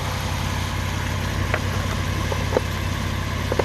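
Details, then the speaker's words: Lexus SC430 after fixing the fuel pump relay, the resistor and the EFI No. 2 fuse: it fires right up and holds a steady, smooth low idle with a few light clicks around it, running normally. "Moment of truth. First start. Fires right up. Fires right up, guys."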